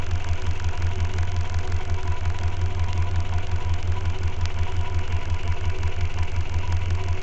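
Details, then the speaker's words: Renault 4L, Cléon 1108 cc engine with points ignition, before fitting an electronic ignition module: one spark plug removed and grounded to check the spark, so the engine idles unevenly on three cylinders with a lumpy pulsing beat; deliberate misfire. "J’ai pris une bougie, je l’ai mise à la masse et par contre la voiture va tourner sur 3 cylindres le temps qu’on voie l’étincelle."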